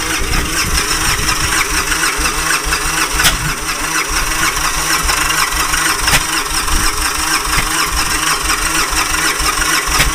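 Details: Victory Kingpin V-twin with spark plug wires swapped front to rear, on a 1310-cranking-amp battery, fuel primed with good pressure: the starter churns it over steadily for ten seconds but it never catches or fires.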